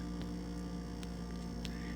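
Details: GE French door refrigerator, model GFE28GMKES: very loud steady buzz heard across the house; abnormal, source inside the fridge unknown.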